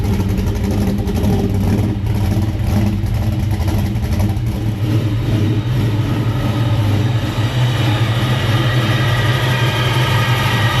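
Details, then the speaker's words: 1969 Chevrolet Camaro (Comp Cams car) big-block V8 with Driven racing oil, cold start after sitting a while; deep loud choppy but even lope, no tapping or misses; normal cold start idle. "let's fire this thing up see what it sounds like let's listen how smooth it is with that driven race noil in there it's going to take it a second it hasn't run in a while code start"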